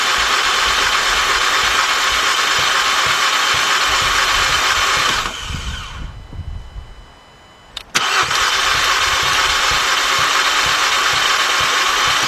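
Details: 2014 Volkswagen Beetle 2.0, cranks but will not start, after reconnecting battery terminals: fast even starter cranking about three beats a second, stops, resumes, never fires; crank no start, cause not yet confirmed.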